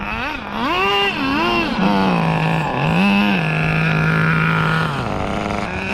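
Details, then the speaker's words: 2002 Tamiya Terra Crusher 1/8 nitro monster truck: engine screams up and down freely while revs surge without matching drive; transmission slipping under throttle, linkages blamed. "You hear that? It's slipping through. And I know a lot of people that have these Terra Crushers have the same exact issue."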